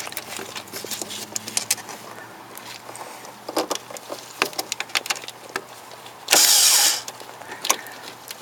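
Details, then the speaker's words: Porsche 911 SC starter bypassed by bridging the two big terminals with an insulated screwdriver, skipping the solenoid. Scattered clicks and scraping, then a short, loud half-second whir: the starter motor spins freely. "So I just touched the two, essentially the two big terminals. You heard the starter motor"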